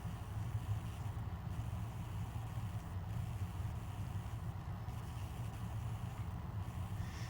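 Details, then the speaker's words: Compton Greaves 56-inch four-metal-blade ceiling fan coasting down after switch-off: soft low whoosh pulsing gently about every 1.5 seconds, no scraping or ticking; a good, normal spin-down. "Definitely has a good spin down though."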